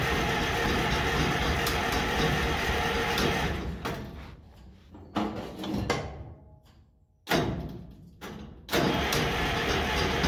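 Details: International 93 combine, unused for 15–16 years. Steady fast cranking churn for several seconds, then stop-start bursts with no catch; it never fires, and the choke had not been used.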